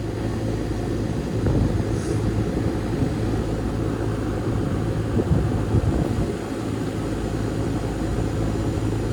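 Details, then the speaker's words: Goodman heat pump condenser after a dead capacitor was replaced: the compressor came on instantly and is blowing really hot air, with a steady low hum and an even fan whoosh and no buzzing or clatter; normal running. "Well, the compressor came on almost instantly, getting hot air, really hot air."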